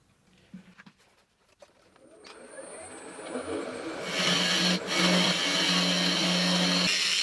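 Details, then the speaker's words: Lathe turning a pine-cone epoxy resin blank: harsh hissy scraping swelling as the carbide-tipped tool bites, rubbing rather than cutting cleanly; carbide tip blunt. "Now, as you can probably hear and see, my carbide tip is starting to get pretty blunt."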